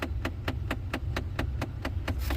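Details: 2009–2014 Ford F150 with sharp, evenly spaced clicks about four times a second from behind the dash, over a low engine hum. The cause is a failing blend door actuator, usually passenger side, behind the pillar and reachable through the glove box.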